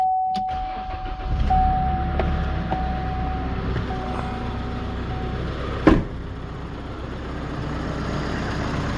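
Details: 2016 GMC Canyon 2.8L diesel with high mileage, after timing belt, water pump and tensioner replacement: after a brief chime it catches and settles into a steady, even idle, no ticking, slapping or knocking; belt not flopping, healthy.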